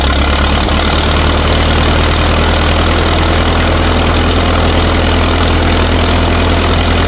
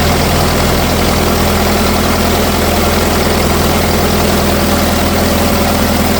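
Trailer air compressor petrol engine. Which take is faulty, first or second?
second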